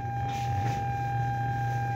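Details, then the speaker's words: Bluetooth speaker powered on and connected with volume up: steady low hum with a thin whine above it, caused by the Bluetooth module sharing the amplifier's power supply. "I volume natin Ayan may haming talaga siya guys Ayan"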